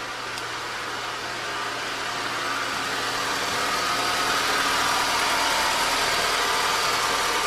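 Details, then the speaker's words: 2004 Honda Civic (7th gen) manual, 129,598 on the clock: quiet at idle with the clutch in, gritty grinding once the clutch is released, coming from near the clutch. Cause was a worn transmission input shaft bearing. "all right she sounds normal right now with the clut push in as soon as I let my foot out isn't that grinding"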